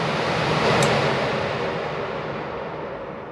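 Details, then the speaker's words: Forced-air furnace blower fan motor after lubrication, panel off: quiet, even airflow rush that settles steadily with no squeal; the start-of-cycle noise heard before oiling is gone; normal running. "so i'm about to turn on the fan in three two one zero and it's working great i don't know if you can hear me but it doesn't make any noise that's great let's turn it off"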